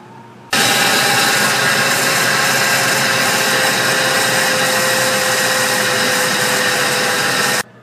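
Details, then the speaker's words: Ford E150 engine (4.6L/5.4L family) running: steady whine from front of engine, often misdiagnosed as power steering pump, caused by worn ball bearings in idler and tensioner pulleys. "what it is is the Ider pulley and the tensioner pulley right there what happens is they the bearings start going inside the little ball bearings and they get that wine noise just like a power steering p"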